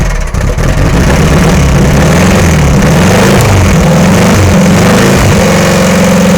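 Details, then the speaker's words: VW engine in Sterling kit car, first runs after static timing and adjusting loose valves: uneven, surging and sagging lumpy beat, rough running; owner plans to sort the wiring and is unsure the fuel pump works. "well it does run go through and take care of the wiring and see if I can get it to run a little better"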